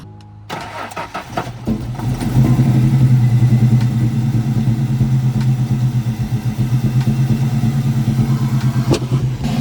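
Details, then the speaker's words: Budget drift car, after a spark plug change: cranks and catches, then runs lumpy with an uneven, stumbling idle; misfire from a vacuum leak caused by a fully disconnected hose. "So, it's a little bit later after installing the spark plugs, and we were getting a pretty bad vacuum leak and just misfire, and we couldn't figure out what was wrong."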